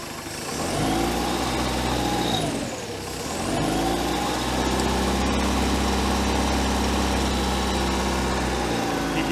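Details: 1973 Larson boat, Mercruiser 120hp 2.5L warming up as choke butterfly opens to straight up and down: idle dips briefly, then picks up and holds a smooth, even beat; healthy engine, running like a beast.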